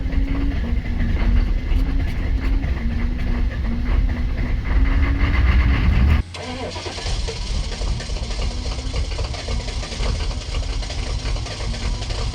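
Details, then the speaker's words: 1990s Chevrolet K3500 1-ton diesel pickup, battery just recharged, about 50°F: cranks and catches, smoky rough start, then lumpy uneven idle with rattling clatter, sounding like a big cam. "thankfully the thing actually started this thing starts rough it's not like it's even cold outside it's like 50° and this was a smoky [Music] mess"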